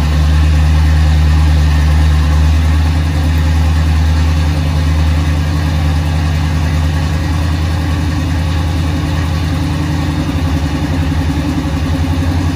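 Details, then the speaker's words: 1976 Chevrolet K10 Silverado V8, after NP205 swap, rebuilt transmission, new Warn locking hubs and kick-down cable leak fix, recorded outside in wind: deep, even idle, about 200 pulses a minute, no knocks or misses; running well. "all right it might be kind of windy out here but um i got the truck out it's running pretty good"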